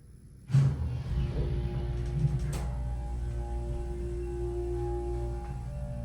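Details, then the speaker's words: Houston hydraulic elevator installed 1970, with a replaced pump motor. Low, steady hum starts cleanly and holds without grinding or surging. Car keeps leveling as the doors open and the motor shuts off a few seconds later. Healthy pump motor. "so it still levels for a bit upon the doors upon the doors opening but the motor does not shut off till at least a few seconds later"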